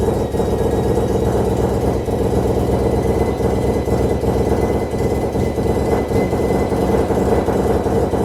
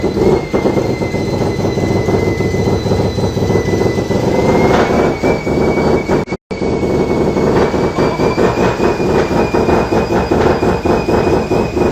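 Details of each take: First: Mazda FD RX7 bridgeport rotary, Hypergear T51R single turbo conversion, first start: very loud, rough rotary idle with raw hissing blat over exhaust note; massive exhaust leak at turbo exhaust housing, V-band clamp not seated properly. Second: Mazda FD RX7 bridgeport rotary with T51R single turbo conversion, oil feed and housings checked, no scraping, test run: loud even rotary run with steady turbo whistle, no grinding; turbo spools down easily; normal running.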